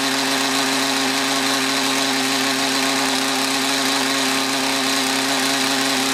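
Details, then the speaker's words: Mantis tiller with Kioritz Echo two-stroke engine after cleaning around carburetor and fuel lines: high, even buzz with no sag when accelerating, load bogging fixed, though idle still not quite right. "all right so it doesn't block down on the acceleration anymore though the idle is not quite right"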